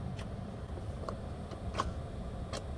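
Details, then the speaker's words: 2009 Toyota Tundra 5.7 with year-long intermittent no-crank: a few sharp isolated clicks from the starter over a quiet hum and no cranking; starter solenoid not making connection, starter suspected. "given the symptom when I'm hearing a click from the starter and no response from the starter"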